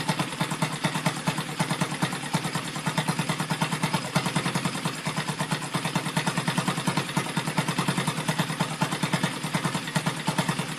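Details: Rebuilt Yamaha Vega (Crypton) single-cylinder engine with balancer, running on the bench without a frame after a rebored cylinder and a larger carburetor: steady idle with light regular clatter about three beats per second from the top end, which the builder attributes to the balancer.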